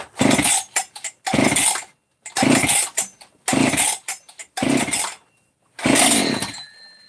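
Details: Freshly assembled 268 chainsaw, first start on choke with canned fuel: crisp, clean revs in about six quick bursts, dropping back to a steady idle between them, sounding healthy and responsive; normal running.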